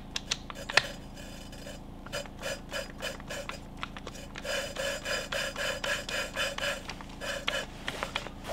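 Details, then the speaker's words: Hand lapping a valve on a cleaned cylinder head with lapping paste: gritty rasping strokes three or four a second; the noise drops in intensity once no grit is left cutting, signalling to lift and restart. "Tu entends ce bruit? Ben, ce bruit, il va baisser en intensité. Quand il commence à baisser en intensité, c'est qu'il n'y a plus de grain pour gratter."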